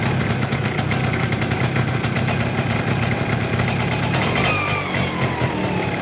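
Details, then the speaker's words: Yamaha F1ZR two-stroke that is hard to start when hot, with a rough clutch, heavy pull and rich black fuel. It idles rough and buzzy with a coarse shake from the middle of the engine around the crankshaft; suspected worn crankshaft bearings. "Oke teman-teman ini fizrnya kalau hidup agak susah susahnya eh susahnya kehidupannya agak susah terus ada suara getar tengah ya di bagian tengah"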